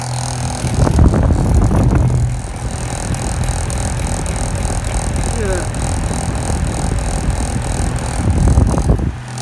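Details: Hoover fan motor running at its single speed of about 3,500 rpm: loud rough roar with gritty rumble underneath; its bearings are badly worn.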